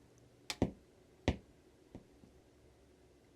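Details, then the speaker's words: Budget amplifier board powered on with no signal source; three sharp pops at switch-on and a light pop at switch-off, excessive turn-on thump, with audible hiss from a couple feet away. "Yeah, there was 3 pops when I turned it on. And it makes a light pop when I turn it off."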